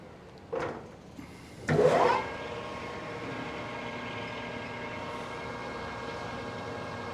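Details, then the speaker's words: Lathe boring the No. 2 Morse taper in a new wood-lathe spindle bore toward 0.700 in: after a couple of cutting bursts a steady ringing whine sits over the cut. The boring bar is chattering. "it certainly sounds like it wants to chatter"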